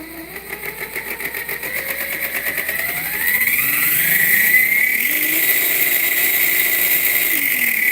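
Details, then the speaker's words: Axial Bomber RC with FOC motor, gear mesh retested after adjustment: dead quiet at low speed, then a thin whine climbing in pitch as the motor speeds up; gears still meshed slightly too tight. "That's pretty close. Wow, that FOC is pretty gnarly. I think we're still a little too close."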